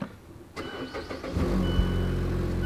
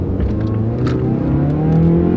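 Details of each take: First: Mazda Skyactiv naturally aspirated engine, AWD, about 153,000 miles, doesn't burn oil, exhaust leak at a bad weld: brief quick cranking, catches promptly and settles into a steady even idle; clean, healthy start. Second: Mazda Skyactiv 2.5-liter naturally aspirated four-cylinder, 6-speed automatic, about 153,000 miles, revving under acceleration: deep, raspy exhaust note climbing with revs, louder from a hole at an incorrectly welded crossover pipe; exhaust leak.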